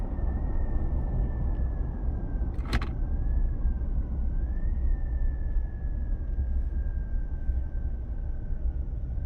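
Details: 2022 Chevy Silverado 2.7 L turbo, driving: steady mid-high hum over road rumble, wavering slightly with speed, heard once moving; owner told it may be normal for the turbo but doubts it, source unclear.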